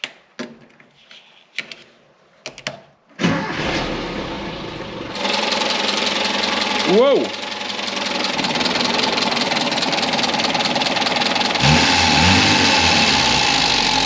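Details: Toyota KE70 carburetted engine idling slowly at about 650 rpm, well under the manual's 850–900 rpm spec, while ignition timing (about 8 degrees) is checked; idle then raised to roughly 750–800 rpm.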